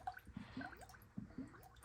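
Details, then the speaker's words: 392 Dodge Durango, about 60K miles, after water pump replacement: irregular wet gurgles as coolant fills the system and trapped air bubbles out, before starting the engine to bleed it. "So what it's doing is letting coolant into the system, and it's getting the air bubbles out as it's replacing"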